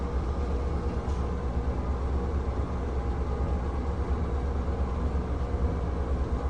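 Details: Dirt-caked NuTone 696N basic exhaust fan running: deep, steady, rough rumble and dry growl from the fan motor due to bad bearings.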